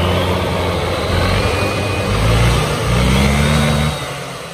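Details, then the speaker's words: 2018 Honda SH300i scooter, hot engine, clutch/CVT opened for testing before repair: loud engine, revs climb without matching pull then sag; clutch slipping, variator only opens about 80-some percent, limited travel. "coi nó hơi bị xào K lắm máy nó chê lớn lắm anh em nghe nè thấy không với lại á cái nồi nó viên nó chạy tới đây thôi nó không có mở hết Nó bị giới hạn rồi"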